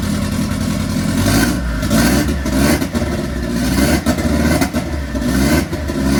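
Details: MK1 Fiesta Zetec turbo build on first start after ECU fix, revs surging and sagging under blips, never smooth, still rich and untuned but acceptable for a first start; rich rough running.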